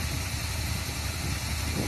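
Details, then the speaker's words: 1979 Chevrolet K5 Blazer, rebuilt hot-rod 350 V8 with Crane hydraulic roller cam, cold start after sitting since the 1990s: deep, even burble with a steady beat, no misses or stumbles; healthy idle. "that thing don't miss nothing sitting there burning begging to get back out on the blacktop"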